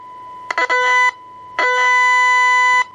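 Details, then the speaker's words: 1982 TRC-1004 rescue radio repair: a known-working reference radio with a signal applied through an external speaker, RF switched off, gives two clean steady tones near 1 kHz, showing normal receive audio tone. "there you can hear the we switch the RF off and you can hear the input into it there"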